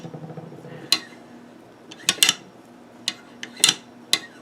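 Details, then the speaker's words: Swiss K31 receiver, cleaned and lubed at bolt, bolt sleeve, op rod and bolt plug, dry-assembled without releases: sharp metallic clacks in quick pairs as the bolt is worked, no grating or dragging. A smooth action. "But that's see that's about as nice as it gets right there."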